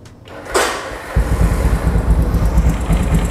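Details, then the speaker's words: 1974 Honda CB350 cafe racer, 360 cc twin with a polished original engine: starter whirr, then a steady, low, slightly lumpy idle; not perfectly smooth, with a slight "icik-icik" ticking that is considered normal for it. "Nih, mesinnya ya kalau dibilang halus banget enggak, sedikit ada bunyinya icik-icik."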